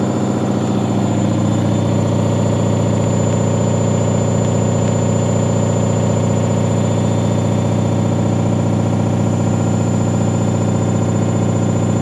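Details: Leran washing machine on spin cycle: steady motor drone with an even thump about four times a second as the drum turns; drum knocking from an unbalanced load, avoided by briefly tumbling laundry to distribute it.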